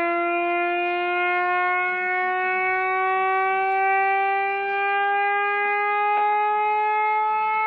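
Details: Reverse joule thief with 2N3055 NPN silicon transistor, knife-shorted to start: clean steady whistle slowly climbing in pitch as the supply runs down; oscillator working normally.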